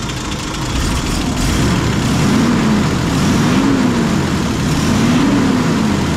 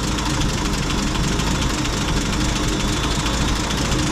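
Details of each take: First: M8 Greyhound six-cylinder petrol engine on test rig after distributor and ignition overhaul: smooth, even low rumble at idle with no misses or hunting after idle speed lowered and mixture adjusted; healthy steady idle. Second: M8 Greyhound engine at idle during ignition and distributor overhaul; mixture being leaned off, revs pick up, then loud rough idle stumbles and labours as it runs too lean while tuning for the happiest idle mixture.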